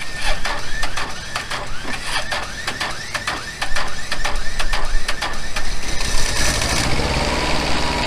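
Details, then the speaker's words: Truck-mounted generator after new generator head and smaller pulley, engine near 1900 rpm target: revs high and steady with ticking rattle, then cuts off; head at 4100 rpm tripped the over/under-speed protection switch. "alright the generator has a switch in it if it's making too much electricity or if it's going too slow it'll go ahead and turn off and that's what it did we were at 40 100 rpms so I need to back it off just a little bit more and we'll start it up again"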